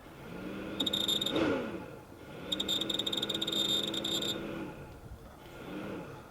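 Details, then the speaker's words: Vectrix electric scooter after reassembly, rear wheel off the ground: quick high chirping from the motor controller over a low motor hum when throttled forward and reverse; owner wonders about planetary transmission oil or motor encoder; cause unclear. "I get kind of it sounds like a chirping coming from the motor controller. Kind of a little chirp, chirp, chirp."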